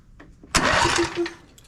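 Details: John Deere E140 riding mower with a newly installed starter: a strong, quick whirring crank with even beats for under a second; the starter spins the engine freely, as it should.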